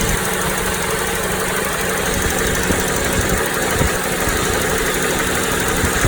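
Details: Toyota Noah 60-series at idle: steady coarse rattle, not a tick, from the middle of the engine rather than the alternator side, louder inside the cabin; flushing and OH+ additive brought no change; cause unclear.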